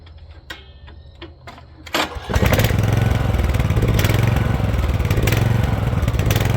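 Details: Rear-engine Snapper mower with bagger, new carburetor, stored over 10 years: a few starter clicks, then it catches after about two seconds and settles into a steady, even run.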